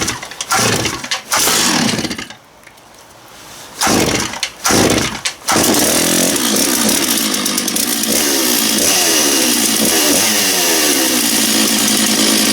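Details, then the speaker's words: Stihl MS660 big chainsaw, not run for a while, blipped a few times then held at a steady, even high-pitched scream with no stumbling; very loud, brutal, running healthy. "oh man that's a brutal saw that thing"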